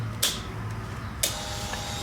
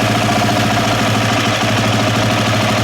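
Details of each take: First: KTM fuel-injected dirt bike with erratic running: click at key-on, then steady even whir as the fuel pump primes normally; pump confirmed working, engine still doing weird things, fuel system to be checked next. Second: KTM fuel-injected dirt bike engine runs with a busy, lumpy beat around three pulses a second that never settles, then cuts out; fuel pump confirmed working, parts said to be new; erratic running, cause not pinned down.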